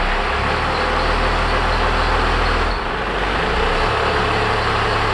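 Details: 1978 Ford F250 body on a 1997 Dodge 3500 12-valve diesel truck, abandoned for years, brakes just working again: deep steady diesel clatter that catches and holds an even idle, no stumbling or misfire; healthy start after long storage.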